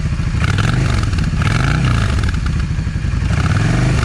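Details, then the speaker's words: Yamaha V Star 650 V-twin, cold, modified drilled exhaust: uneven idle with sharp popping bursts about every second from the front (number one) cylinder; owner suspects a clogged or undersized idle jet leaving it lean; okay once warm. "number one exhaust or the front exhaust. Anyway, the way it's doing, it's telling me that uh that idle jet is clogged."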